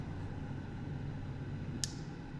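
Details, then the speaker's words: RVMP Flex Temp tankless RV water heater after water is turned off, hot water having reached the 110-degree setpoint: burner disengages and the blower runs on about 15–20 seconds to cool the unit; low steady fan hum with one light click, normal. "the unit down, burner's disengaged. A blower fan's going to run for about 15 to 20 seconds to cool the unit off."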